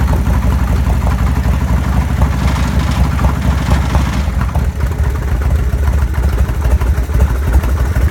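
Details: Evo engine with an abnormal noise, found badly damaged when opened; rough, uneven idle with a heavy low clatter throughout; internal engine damage.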